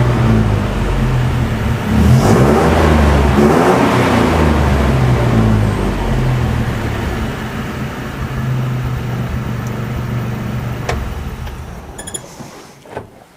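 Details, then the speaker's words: 1970 Jeepster Commando after Rochester carburetor rebuild: strong even low rumble rising with revs and settling smoothly; running clean, normal running and revving. "All right, so the carburetor is rebuilt and the Jeepster is back to running like a champ. Gonna take it for a quick test drive, but so far it's running pretty good."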